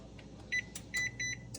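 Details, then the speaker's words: GE range model PB950SF2SS that is not baking, broil started: short high double beeps right after start instead of one; F20 error pointing to a faulty oven temperature sensor (probe). "see that one beep this was two beeps indicating there's an issue"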